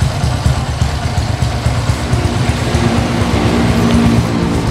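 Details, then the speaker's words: Motorcycle fitted with a racing TEMLAR RRA camshaft replacing the stock cam, idling after fitting: steady, soft, deep exhaust thump with even beat, no rough clatter; owner says sound is bassier, throttle more responsive, not yet test-ridden. Normal idle. "ini Joe sudah tak nyalain untuk suaranya loh fifa.tv ngebas ngebahas itu ngebahas empuk dan untuk tarikan lebih responsif"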